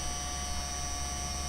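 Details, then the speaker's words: PowerBook G4 laptop during Mac OS X 10.5 install: even unchanging whir with fixed high-pitched tones from the cooling fan, not the hard drive; owner plans to take it apart and oil it; noisy cooling fan. "I'm gonna have to take it apart and oil that because that's just awful"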